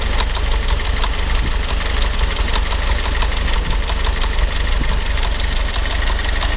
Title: Willys MB 1943 Engine Knock Part 2